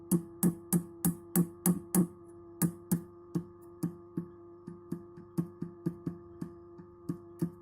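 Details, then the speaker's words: Orange Rockerverb 50 power tube tapped lightly with the microphone near the speaker: each tap comes through as a sharp knock with a hollow, decaying tone, showing the tube is badly microphonic; the tubes were later replaced. "So right now I'm tapping this tube so lightly, but it's coming through the speaker."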